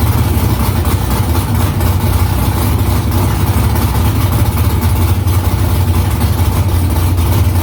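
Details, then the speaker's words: V8 idling after header installation with exhaust back under the car, first start after about three weeks of work. Deep, steady rumble with a loud, even burble and no ticks or misses; louder in-cabin with exhaust vibration under the seat. Smoke is drying header silicone. Healthy. "i mean definitely in the car i could hear a lot louder under the seat i can feel the vibration of the exhaust being under cars a lot quieter up here"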